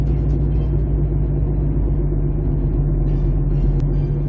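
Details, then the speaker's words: 2008 Jeep Compass driving with a worn front passenger wheel bearing. A steady low droning hum/whine with a slight chugging pulse almost fades when cornering unloads the bearing. Tightening the loose bearing nut had only temporarily stopped it. "because what's happening is you're taking a load off the bearing when you're turning so we'll get to that this is a this is the 08 jeap Compass now you now you can hear it that wine that kind of a wine"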